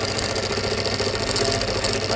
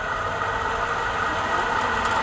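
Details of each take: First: Pedestal stand fan making a loud noise before repair: a loud, constant rattling drone with a harsh buzzy edge; loose fan motor bearing in its seat. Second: Pedestal stand fan that a customer brought in for loud noise, running after a repair that fixed it without replacing the bearing: an even, steady whir with a soft constant tone and no rattle or knock; normal running.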